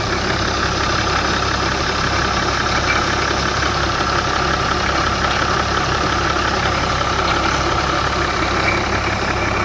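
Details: BMW E61 535d pre-LCI diesel idling in the morning with a faint, uneven ticking chatter about twice a second above the diesel clatter, heard near the EGR cooler; cause unknown.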